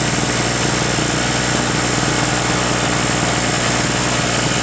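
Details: King Canada 950 W (800 W running) two-stroke 2 hp generator, repaired after a no-start from sitting, powering bulbs as a light load: steady, even buzz with no hunting or surging; sounds healthy.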